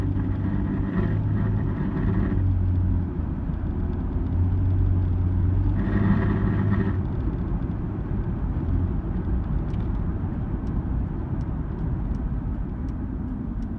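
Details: 2002 Nissan Xterra driven on and off the gas: a metallic buzzing rattle flares near 2000 or 3000 RPM from under the passenger-side floor; a mechanic said it is exhaust rattling, though the owner thinks it sounds more like grinding, so the cause is unconfirmed.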